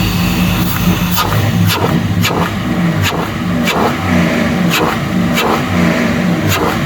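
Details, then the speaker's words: 94 Caprice, stock 5.3 LS swap on a Holley Terminator X MAX, first start: a high, lumpy fast idle with occasional sharp ticks, rich at air-fuel 9-10 against a 13.8-14.2 target, most likely from excessive fuel pressure; a regulator is planned. "he's a little rich oh yeah she's rich nines tens and that's the fuel pressure most likely causing it to push through a little bit but it is up and running"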